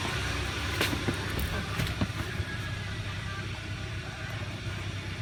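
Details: 2011 Hyundai Sonata, high mileage, after repair of a #1 rod bearing spun from low oil: crank journal polished with 400-grit and a new bearing fitted. After about ten minutes of running, it idles evenly and low with no knock, with a few handling clicks. Normal idle.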